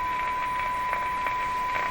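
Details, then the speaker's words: Philco 38-C7 tube radio during IF transformer alignment, fed a fairly weak signal: clean, steady one-kilohertz tone holding its level over soft background hiss as AVC raises sensitivity; the radio still receives the weak signal properly. "This is a fairly weak signal now, and the radio's still responding to it."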